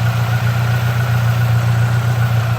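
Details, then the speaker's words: Saab Aero after a head gasket replacement, oil and coolant still mixing and oil smoke pouring out: low, lumpy idle with an uneven pulsing throb, as if a cylinder is missing, engine shaking. Owner suspects the cylinder 3 sleeve, not confirmed. "black look at the engine moving like that holy crap ruff ruff"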